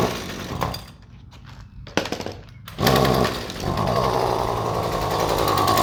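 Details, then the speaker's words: Husqvarna trimmer running a generic tune-up-kit spark plug instead of the recommended QC J8Y: sputters, pops and gaps, then a ragged, uneven buzz; misfire from the wrong spark plug, unusable. "ah as you can see that spark plug ran absolutely terrible completely unusable"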